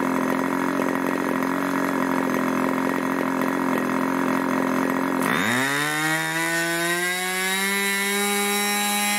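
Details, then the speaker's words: Irvine 40 MkII 1980s English ABC Schnuerle-ported glow engine, twin-needle carb, 10x6 Master Airscrew prop, 7% nitro 20% oil fuel; steady high buzz, quick speed drop, clean even climb to smooth note after rich needle tuning; holds about 12,300 rpm max; normal running. "well I really enjoyed that that was a joy to run it was lovely"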